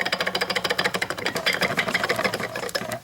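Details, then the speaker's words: 1999 VW Passat 1.8L turbo old water pump, removed and turned by hand: dry, uneven clicking about three times a second; bearing has lots of slack and turns poorly, the bearing is worn. "Here's the old water pump. It was making noise. You can see there's a lot of slack in the bearing there. Does not turn very well."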